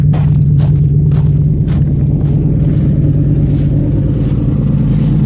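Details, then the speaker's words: Old truck (not the yellow one) with its original engine and original transmission, possibly a Turbo 350 or 400; the engine is worn out and smoking. Deep, rough rumble with uneven puffing chuff over the revs from exhaust leaks: exhaust leak. "Oh, it actually does have an exhaust. It's got some exhaust leaks, all that stuff. I love the sound."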